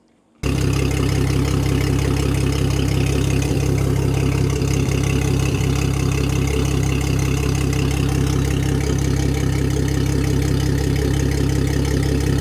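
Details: Mercury Verado supercharged inline-6 250 HP outboard after cracked valve cover replaced and oil topped up with fully synthetic: catches and settles into a smooth, even idle with steady low beat and no ticking; healthy, run to check for leaks.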